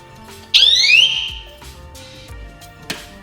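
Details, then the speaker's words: Chirp from the power-outage alarm as power returns after the replaced garage GFCI outlet (15 amp breaker) is switched back on and reset; the old GFCI had been tripping once or twice a day. "You hear that alarm go on? It had no power to it. I reset it, and now it's working."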